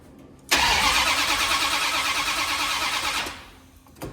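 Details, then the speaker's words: 1972 Dodge D100 with a new solid roller cam and Speedmaster heads, sparking at the plugs: steady cranking at about three turns a second for three seconds, never catching; the distributor is found off at number one, to be re-clocked. "Just before top dead center. My number one is right here. Oh, Shazam. Yeah, it's a little off here, bud. But I'm going to clock that baby."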